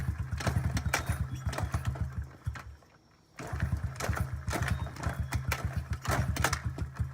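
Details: 2009 Honda CRF50F pit bike not started in 2 years: small single-cylinder pops and putters at low revs, a brief stall, then uneven sputtering. Hard starting; the choke was left on too long, so kickstarting took 6.5 minutes.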